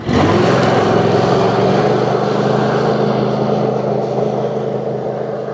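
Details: 22 hp Kohler Courage V-twin that squeaked when hot, on a test ride after the sump was removed and refitted and oil refilled: even, steady drone holding a constant note under load with no squeak or chirp, running clean after the fix.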